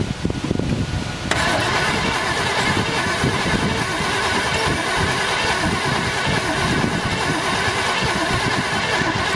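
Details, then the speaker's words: 1972 Chevelle Malibu, original small block with automatic transmission, sitting 15 years; distributor moved, starter fluid sprayed. Steady starter churning for about eight seconds with no firing; cranks, no start, no spark, owner suspects the points. "doesn't sound like anything's happening so I may need a uh new points"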